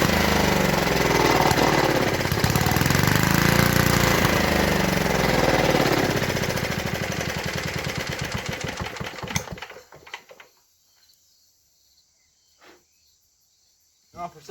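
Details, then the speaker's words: 1952 Clinton VS-700 single-cylinder mower engine fires steadily for several seconds, then stumbles and dies; fuel starvation, it runs only on primed fuel, and a clogged fuel line was later found. "some reason she ain't pulling fuel so we'll have to see what's going on there but uh she does run"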